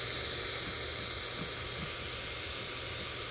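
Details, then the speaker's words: Late-1940s/early-1950s Ford (Zenith) 6-volt AM tube car radio, tuned to 1 MHz (IF 262 kHz) to listen for the converter; only steady hiss, no tone. Converter oscillator not running; the set appears to have all the wrong tubes fitted. "yeah it does not appear the converter is running in the car radio"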